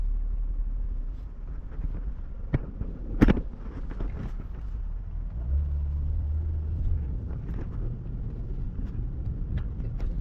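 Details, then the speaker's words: Truck driving after retightening a loose joint with split gasket; steady, even low rumble, no stumbling or popping, earlier misfiring gone; smooth running engine. "That sounds like it's driving fine. It was misfiring like a motherfucker. And now the truck seems to be chilling."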